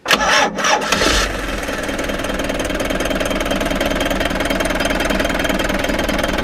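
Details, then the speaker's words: Frankia A595 motorhome with a Nissan diesel, abandoned 12 years, started after the fuel filter was properly installed: a short crank, then a steady, even idle with no knocks, a little smoke, and oil pressure present; normal diesel start and idle. "bit of smoke but not much"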